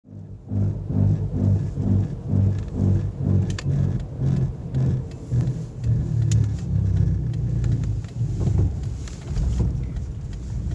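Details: Car under way with a deep, pulsing low rumble that throbs with road speed, from bad front wheel bearings, which were later replaced.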